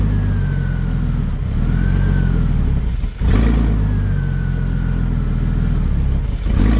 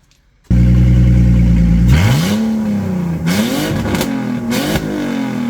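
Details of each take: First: BMW E46 330ci, abandoned over six years, revved: loud, raw, booming exhaust that swells with revs and drops back, loud because the catalytic converters have been removed. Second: BMW E46 330ci revived after 6 years abandoned, MAF, idle control valve and radiator replaced, broken hose reconnected with tubing: steady even idle, clean rises and falls in revs, no stumble, knock or rattle; normal revving.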